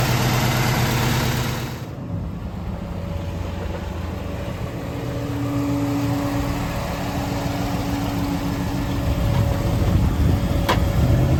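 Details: 1965 Ford Galaxie 500 390ci V8 with new Holley Sniper EFI in basic closed-loop learn mode; deep, even idle with steady low rumble firming slightly toward the end; running smoothly, normal idle.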